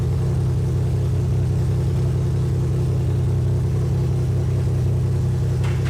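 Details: 2001 Lexus IS300 with clogged catalytic converters, aftermarket header being fitted: low idle with uneven exhaust beat and recurring stumble, popping out the header; misfire at idle, cylinder not yet identified.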